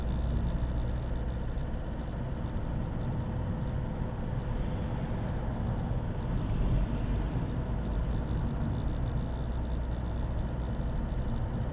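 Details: Opel 1.7 CDTI Z17DTJ diesel with Denso injectors, cold engine: loud rough clatter knocking like a tractor, quiet once warm, no fault codes; fixed by replacing an injector.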